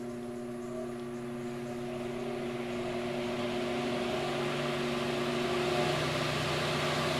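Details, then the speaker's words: Fan on BN-LINK plug-in variable fan speed controller turned back up toward full speed; steady motor hum with air rush growing louder over several seconds as it winds up, running smoothly. "believe you me this is still putting a nice little breeze out if you just need a little something this can be a great thing we turn it back up some you can hear it sped up"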